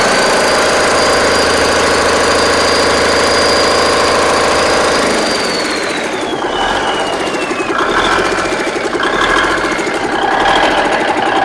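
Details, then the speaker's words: Big Cam Cummins NTC 365 diesel: an even, deep idle with a slight surge, then it winds down with a turbo whistle. Owner suspects an idle adjustment, vacuum leaks, a disconnected boost reference line or a loose turbo pipe; otherwise runs well. "I mean, the thing runs good, runs every bit as good as candy. It's got a little surge to it."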